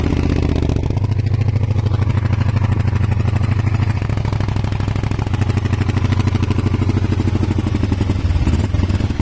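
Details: Kawasaki ER500 twin with white smoke, at idle and on light revs: loping, uneven, stumbling beat with irregular pulses, a cylinder misfiring; owner suspects a broken head gasket, unconfirmed.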